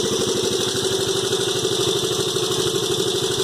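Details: 1986 Honda Fourtrax 125 single after top-end rebuild, exhaust pipe repaired and refitted: even quick putter about three beats per second, steady, no knocks or misses; normal idle.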